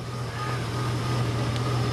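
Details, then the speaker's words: Chevy Silverado bought for $500 as a flip, brake lines needing repair: brief, smooth, low engine rumble at constant pace with no tapping or misfire; runs healthy. "But listen to it. It runs like a Chevy. I'm happy, man."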